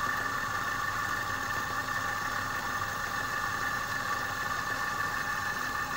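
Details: Air compressor after repair of a stone jammed in the valve against the piston, reassembled and pressure-tested: steady, even hum with mid-pitched drone, no knocking, seizing or stalling; running healthy.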